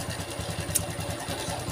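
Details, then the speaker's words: Honda Revo FI (fuel-injected) motorcycle brought in for rough-sounding engine; rough idle with fast dry "krecek" crackling rattle on each firing pulse, heard via mechanic's stethoscope; mechanic attributes it to the cam chain (sentrik). "Ini pasti suara sentrik karena suaranya Tuh udah krecek krecek krecek krecek"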